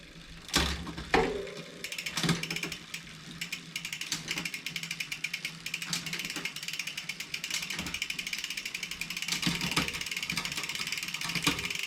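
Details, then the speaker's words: 2020 Specialized Fuse 27.5+ with a Shimano Deore Shadow Plus 10-speed rear derailleur: fast, rough metallic ticking as the chain rubs the next cassette cog. Indexing is out of adjustment and is corrected in quarter turns of the barrel adjuster. "As you can see there, it doesn't sound good. And we're rubbing up against the next cassette here."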